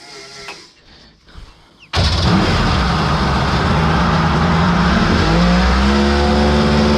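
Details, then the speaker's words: Kawasaki 1100 triple two-stroke in an aluminum mini jet boat, rebuilt with more compression, petcock removed: catches and revs hard, but pitch wavers and stumbles at wide-open throttle, pinging or pre-detonating; owner suspects squish is lost with the cylinder head. "while here it's starting to break up I just let off the throttle cuz obviously don't want to hold her wide when you hear it kind of pinging or pre detonating"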